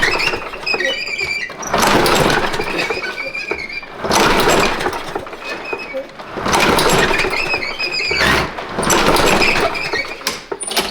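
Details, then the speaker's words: Craftsman push mower with its original spark plug and automatic choke, tried with pull starts; it seems to want to run, but each burst dies without catching; crank-no-start. "It fires, which is more than what this one's doing. Sounds like it wants to."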